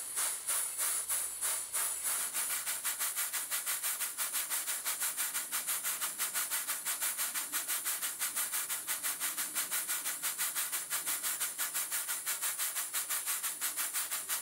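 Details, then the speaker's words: Stuart Models Southworth duplex steam pump running on steam with carefully set valve timing: crisp, evenly spaced chuffs at about 90 a minute, locomotive-like; the valve events are even and well timed. "valve events of perfection it sounds like a locomotive"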